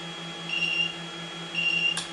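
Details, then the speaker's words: Chinese inverter with replaced input MOSFETs, tested through two 300 W halogen lamps in parallel: steady electrical hum with intermittent high whistle as it tries and fails to start; owner suspects shorted input MOSFET. "as you can see, and I can hear it buzzing like it's trying to work. So I think there's an input MOSFET that is shorted."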